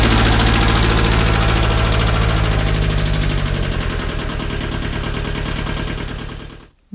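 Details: 1978 Bolens diesel tractor, cold at about 32°F, 15 s glow plugs, started on KeenPower super capacitor jump starter: steady even chugging ~3–4 beats/s once fired, then clean shutoff; healthy cold start.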